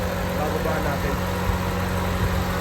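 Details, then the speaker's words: Honda Civic EK with check engine light: steady, even but far-too-high idle; lowering it at the distributor and air adjustment barely brings it down. "Umabot na ng 14. Sobrang taas nito. Tapos nagba-bunce ah."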